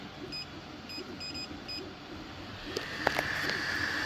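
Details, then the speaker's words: Sovol SV06 Plus 3D printer layer fan (Vortex 2 fan adaptation) after repairing a failed trace on the extruder adapter board: short beeps, then the fan spins up to a steady high whir with no rattle or ticking; fixed. "and our fan is running all fixed"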